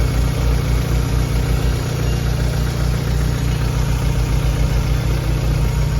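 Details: Chevrolet Aveo at idle: low, heavy idle with a slightly uneven pulsing beat underneath; a noise is present but its source can't be pinned down by ear. Engine noise at idle.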